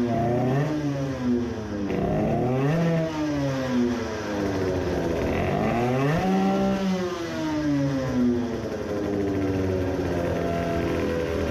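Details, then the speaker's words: Two-stroke moped with new racing carburettor: hunting uneven revs, lean at low rpm and sputtering with rough breakup at full throttle; main jet too large. "how about full throttle? that was not good either so it didn't work well I didn't expect it to at low rpm it was lean and at full throttle it was sputtering the main jet is too large"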